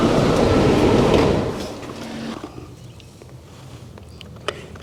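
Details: Toyota RAV4 (2013–2018) starting after serpentine belt and worn tensioner replacement: engine flares on startup, then settles to a quiet, even idle without belt chatter or squeal; belt drive sounds healthy.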